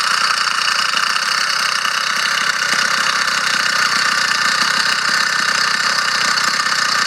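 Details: Motorized bicycle small two-stroke engine buzzing steadily at idle with a light, fast metallic rattle from inside the engine; engine runs fine and strong, cause unknown.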